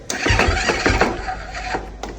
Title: KTM 450 XCF diagnose and estimate repairs. Bottom end knocking sound, bad crank bearing